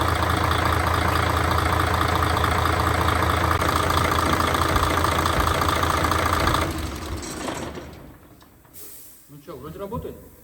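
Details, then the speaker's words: Mercedes Actros OM501 diesel after cylinder head repair for sunken intake valves, valve adjustment and repaired injectors, first run: steady, even idle with a regular beat for six seconds, then shut off; no knocks or misses, normal. "như nó đang hoạt động, vâng."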